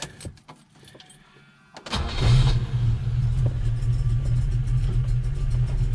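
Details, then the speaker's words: Volvo B18 with Weber 32/36 carburetor, warm, choke open, idle mixture screw being set toward base setting: low, lumpy, uneven idle with a faint hiss, barely holding idle; running very lean. "barely running you can hear it there's like a hissing yeah so it's running very lean"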